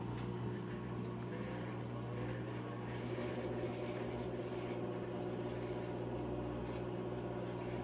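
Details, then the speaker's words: Whirlpool/Maytag commercial top-load washer MVWP576KJ/1 after agitator repair for grinding, not washing or spinning: drain and spin with steady, even motor hum and smooth whir, no grinding or knocking; runs normally. "All right, guys, we're going to be putting this into drain and spin."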